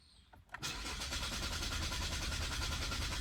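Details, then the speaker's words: 2022 Chevy Malibu 1.5T, about 65,000 miles, stopped starting the day before; starter spins the engine at a fast, even rhythm for several seconds but it never fires or picks up speed: crank, no start. "Nothing. As you can see."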